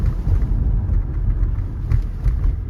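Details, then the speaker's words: 2011 Toyota Camry SE, about 176,000 miles, driving after replacing the driver-side front sway bar link with an aftermarket part: low steady road rumble, no more clunking over bumps. "so I'm driving right now so far I don't hear the knocking noise like the clunking noise like it was before"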